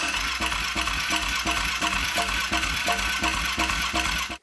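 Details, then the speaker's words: Abandoned ATV being revived after carb cleaning, tank cleaning and fresh fuel, with choke pulled: the starter cranks at about three compressions a second but it never catches; suspected no spark. "well that should have at least like made it pick up a little bit so I don't think it has spark which is a big problem"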